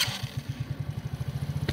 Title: Kazuma Meerkat 50cc startup and idle